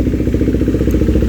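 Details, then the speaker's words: KTM 390 single-cylinder idling just after installing a Fuel X Lite fuel module that learns and applies fuel correction; thumping idle pulses now fairly even with slight unevenness left, getting less choppy and settling to a healthy normal idle. "So the idling is getting less choppy. I can hear that it's getting less choppy."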